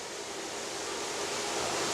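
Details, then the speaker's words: Brier Grill commercial dish machine mid-cycle: steady, even rushing hiss of water spraying inside the cabinet, no knocks or grinding; normal wash cycle. "Now that we've heard, the load stopped, there's no more water coursing through the machine."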